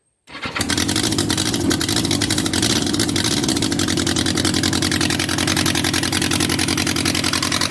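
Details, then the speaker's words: Abandoned Yamaha XJ 900F four-cylinder motorcycle, believed 1980s, first start after storage with exhaust not properly fitted: loud, lumpy uneven idle with a missing beat; running on three cylinders, number three believed dead by feel as it stays cold. "so we're running on three cylinders uh cylinder number three I believe here it's not running"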